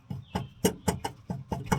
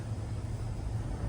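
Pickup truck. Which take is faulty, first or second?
first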